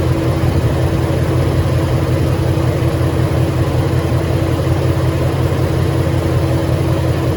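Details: 2013 Ford Mustang GT 5.0 Coyote, manual, 81,500 miles, idling: low steady idle with a dull knock about 160 a minute; owner suspects rod knock or crankshaft, new for 2-3 months, worse after driving, stalls after long drives.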